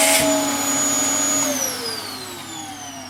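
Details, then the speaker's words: Dyson DC07 Origin vacuum reported to overheat and die after about 10 minutes, run with washed and new filters: high motor whine sags lower in pitch as the motor slows and cuts out. The motor is very hot and failing. "That has just turned off. The motor is failing on it."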